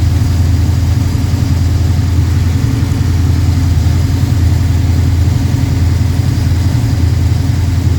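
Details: Freshly built Pontiac 428 V8, probably a 1969, for a 1966 GTO, tri-power, 9.5:1 forged pistons, hydraulic roller lifters: deep smooth rumble on high idle while warming up, no ticking or knocking; normal fast idle.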